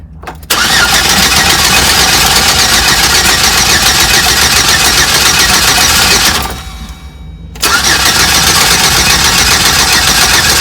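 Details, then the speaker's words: 4.3L Vortec cranking with no start, P0301 code; two even cranking bursts, no firing or catch; owner suspects top dead center timing or rotor position off. "well unless I have my timing off on my top dead center cuz that could be could be that the rotor is not exactly correct"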